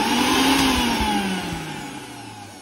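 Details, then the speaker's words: Usha mixer grinder before repair: switched on, it doesn't run, but it starts when the switch is pressed slightly. The motor whine fades and drops in pitch as it coasts down when the switch is eased off. The regulator switch is faulty. "देख सकते हैं यहाँ पे हमने on किया लेकिन नहीं चल रहा। जैसे स्विच को थोड़ा सा दबाएंगे तो ये चल पड़ता है। और ये जो प्रॉब्लम है, इसमें रेगुलेटर खराब हो जाने के कारण इस तरह की प्रॉब्लम दिखाई दे रही है, तो इसे हम ठीक करेंगे।"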